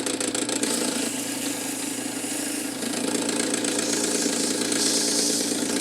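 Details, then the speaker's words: Cool Breeze 16" oscillating desk fan EB24616 motor: steady hum with a light, fairly regular rattle about four times a second, much quieter when pressure holds the shaft against the bearing; severely worn fan motor bearings. "see if I if I apply a pressure to it to keep it up against the bearing it's it's much quieter so unfortunately this is a bearings problem and it's pretty severe"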